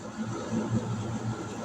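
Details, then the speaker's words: DC battery-powered 8000 BTU under-bench air conditioner (12/24/48V) in turbo mode drawing about 38–39 amps. A smooth, even hum with steady airflow whir and no knocks or rattles; running normally at high output. "There's power mode. Watch this. It's going to kick it up. There we go. And that's the turbo mode. That's when you're pulling like 38, 39 amps."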